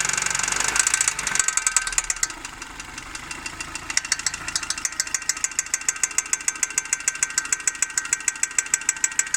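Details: Opel Zafira A OPC engine at quiet idle with sharp, rapid, evenly spaced ticks keeping time with the engine; top-end ticking, cause not pinned down.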